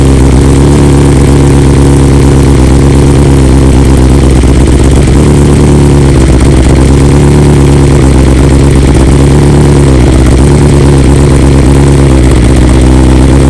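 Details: 2020 BMW S1000RR four-cylinder after two ignition coils replaced under warranty and software update, cold start after sitting overnight: loud, deep, steady rumble with slightly raised cold idle, even firing, no misses.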